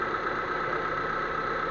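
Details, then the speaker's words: Proton Waja MMC automatic at steady, slightly fast idle with even hum; without thermostat the engine runs too cold, temperature needle stays low, idle and fuel use high; fix is the standard 82°C thermostat; scanner showed no sensor faults. "wajah bi memang macam ni kena pakai kalau tak timing tinggiah timing tinggiah dia kacau lepas tu makan minyaklah tinggi makan minyak dia kena sampai cukup panas baru terus"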